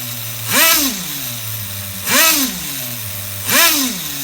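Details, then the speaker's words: HPI RS4 Nitro F150 nitro RC engine during bench tuning: three throttle blips, revs linger about a second before idling, low-speed needle still rich; plan to lean bottom end and lower idle screw. "but now it's staying revved up for a little bit for a second so I'm actually going to lean the bottom a little more and then lower the idle screw"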